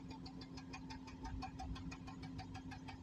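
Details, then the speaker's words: Exhaust puffs in uneven "book book" pulses, about six a second, at idle on a car that won't hold idle; the engine shakes heavily and has lost pickup. This is a misfire, suspected from spark plug, ignition coil or a sensor; check engine light is on. "यह देखो हवाए ऐसे book book book book करके आ रही है मतलब यह miss पयर हो रही है"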